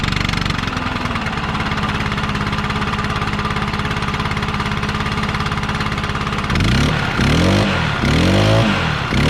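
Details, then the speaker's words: Stihl BR800X backpack blower after valve adjustment, owned about six months: starts and settles into a steady, deep, throaty even idle, then clean throttle blips rising and falling smoothly; healthy, previously had grown higher-pitched before adjustment. "you hear how it has that real deep like throaty sound that's how it should sound"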